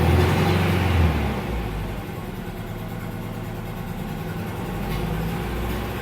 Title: Acura Integra GS-R, 1998 - Engine Noise